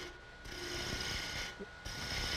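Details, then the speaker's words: Woodturning a replica antique chair spindle with a spindle gouge: harsh rasping cut with fast buzzy shudder, tool chatter from too heavy a cut or too much pressure; cure is lighter cuts, rolling the tool and sneaking up on it. "Hear that vibration? Lighten up, a little bit easier, lighter cut. Roll the tool, sneak up on it."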